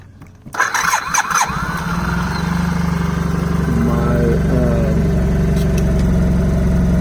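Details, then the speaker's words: 2009 Suzuki Burgman 650 starting right after oil and filter change; starter whirs briefly, engine catches and settles into steady even idle with no knocks or rattles; normal idle. "The one thing I did notice, and you see I can let it turn it on, is nice."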